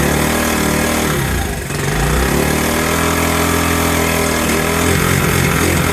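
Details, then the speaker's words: 1984 Honda ATC70 after being burnt in a bonfire, first run: uneven single-cylinder chug stumbling and surging about three beats a second, won't idle; the damaged carburetor is leaking. Owner plans a carburetor rebuild. "look at there still runs carburetor is a piece of crap"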